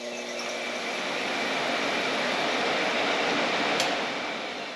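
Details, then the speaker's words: Two-speed electric cooling fan for a 1931 Model A coupe hot rod with Ford 2.3L, bench-tested off a battery charger, black wire ground, orange thought low speed: smooth airy whoosh building and holding steady, no rubbing, ticking or grinding; fan runs normally on low speed. "That's 1 speed. What's this other thing do? Woo! I think orange is low speed and yellow is high speed. Yeah, it's a 2-speed fan."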